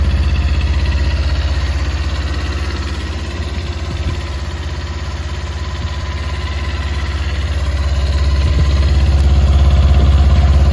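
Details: Current Kawasaki Ninja 250 at idle, starts fine: fast, even idle with tight low drone and faint ticking on top; abnormal engine noise, cause not pinned down.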